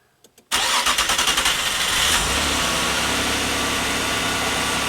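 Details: 1997 Nissan Maxima restarted hot about 15 minutes after shutdown. The starter cranks rapidly for about 1.5 seconds before the engine catches into a rough idle. Fuel pressure bleeds quickly to zero after shutoff; fuel-vapour or pressure-bleed cause is suspected, not confirmed. Long hot crank.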